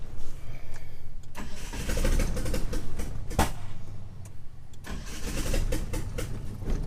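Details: 1997 Mitsubishi Eclipse GSX 6-bolt swap, first start attempt on a jump pack: starter spins engine steadily in bursts but never catches; cam angle sensor wiring fault blamed, later rewired.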